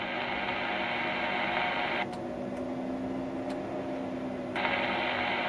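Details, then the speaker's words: Ham radio 203 amplifier, driven with under 10 W, with the switch bypassed: after unkeying, the hiss drops out, sharp light clicks sound as the relay switches back, then the hiss returns; normal changeover this time, though the relay is suspected of sticking. "I can hear the relay switching over."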